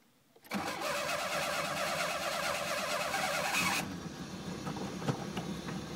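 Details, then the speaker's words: Fiero with no power reaching the fuel pump, run on fuel poured in: engine catches and runs rough and uneven for a few seconds, then sags as that fuel runs out; oil pressure gauge drops near zero; suspected bad fuel pump. "does run because that fuel runs out that's done deal notice it's down to zero now well close to it"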